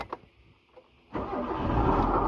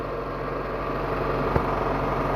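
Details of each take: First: Proton Waja before water pump replacement: the engine starts and settles into an idle with a harsh, gritty rasp, and the coolant is not circulating. Worn water pump bearing noise. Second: Proton Waja after replacing a water pump whose failed bearing caused a rough noise: a quiet, even petrol idle with a soft hum and no bearing growl. Normal now.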